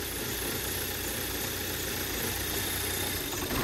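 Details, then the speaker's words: 2008 Audi A4 2.0T Quattro 6-speed manual salvage car, first jump-start on a very cold day: fires right up but idles with an uneven, stumbling beat and dropped pulses, a cylinder misfire. "there we go fired right up sounds like it's got just a little bit of a misfire you can kind of see it"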